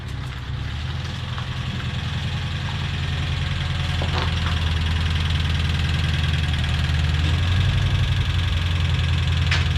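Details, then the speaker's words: Old engine in a Subaru Brat after reinstall and intake manifold repair; deep steady idle with an uneven tapping rattle rising slightly with revs, valves to be adjusted to quiet it. "that engine that old engine rattles pretty bad i'm gonna adjust the valves on it though and see if i can get it quiet down a little bit"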